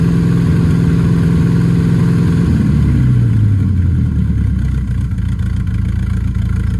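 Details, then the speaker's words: Camaro V8 before first drag strip run, rough stumbling idle that sags as revs drop, seems firing on six or seven cylinders and down on power; misfire cause unknown, fresh spark plugs planned to try. "it sounds like it's firing on maybe six seven cylinders something like that it's it's kind of down on power"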